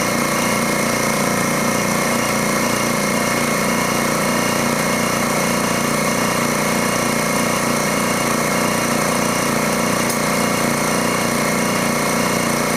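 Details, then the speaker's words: DeWalt D55146 air compressor: steady fast pump chatter, three to four strokes a second, building pressure; faulty check valve leaks air back, so after shutting off near 200 PSI it re-cycles around 140-160 PSI. Before check valve replacement. "as you can see it's going back down and it's going to kick on again about 160 or so and that's again because that check valve is letting the air by"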